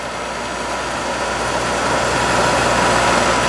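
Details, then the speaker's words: Scrap-saved single-phase capacitor-start air compressor motor; the start capacitor circuit is pulled out manually while running, and current drops to about 4.1–4.2 A. Steady, smooth hum with no buzz; the start cap staying in circuit all the time was judged bad. "I'm going to pull this out and break that capacitor circuit while the motor's running, and we'll see what happens. Aha, look at that. Now we're only pulling 4.1, 4.2"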